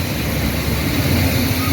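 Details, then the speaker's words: 350 small-block V8 started with a screwdriver in the ignition, not pulling fuel (fuel pump suspected): a steady, deep rumble with no knocking or tapping and no smoke. Normal running, no knock. "It's running. I don't know how good it's running. It ain't pulling fuel, but it's running. It ain't knocking, ain't smoking,"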